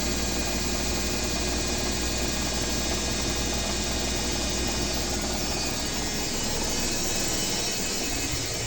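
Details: Owner's BWS24 washing machine on a 4-minute spin: a smooth, even spin with a steady motor whine and no knocking, banging or scraping. It sounds healthy, unlike the neighbour's noisy Midea HealthGuard.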